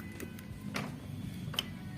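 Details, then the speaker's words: Motorcycle carburetor whose slide stuck open despite unscratched slide, after fitting a stronger-pressure replacement part: small crisp tick as the throttle snaps shut shows the slide returning fully to its seat; normal. "tampak terdengar suara di sini ada bunyi tek bunyi kecil itu menandakan skep kembali dengan sempurna ya Ada bunyinya"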